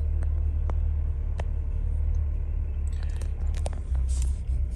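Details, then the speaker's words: 2016 Chevy Cruze 1.4L Ecotec turbo after running low on oil, reduced engine power: deep uneven idle rumble with irregular shudders, stray ticks and violent shaking; rough sporadic idle from damaged VVT solenoid. "let me show you guys how it sounded at this particular moaning it sounded terrible there it is man this thing is island some serious has a sporadic idol to it"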